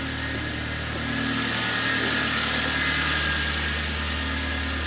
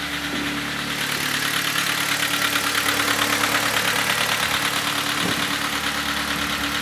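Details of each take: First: Kia Cerato with G4FC engine after rebuild for heavy oil consumption and knocking: steady, even idle with a smooth constant hum and no knocks, ticks or misses; normal idle. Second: Kia Cerato, G4FC engine with heavy oil consumption, heard from outside at idle before teardown: hard, regular knock about three times a second over the engine. Knocking from running short of oil, crankshaft condition to be checked.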